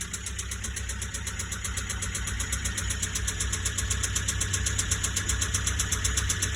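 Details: Nissan Qashqai J10 1.5 dCi diesel at idle with white-grey smoke, hardly any power and no fault codes: a sharp, steady knock about four per second over a rough idle; owner suspects top end, possibly full engine failure.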